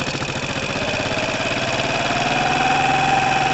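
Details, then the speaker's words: 2012 Piaggio Typhoon with swapped-in used 125cc engine, first start after oil top-up: lumpy, hunting idle that smooths when a big split in the intake boot is covered; too much air getting in, intake vacuum leak, boot to be replaced. "then i'll let it go and listen to the end of red swap listen too much air going in"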